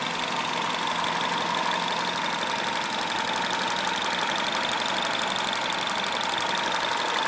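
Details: THP 175 engine at idle: fast, uneven ticking near three per second over a steady thin whistle; abnormal engine noise, cause unclear.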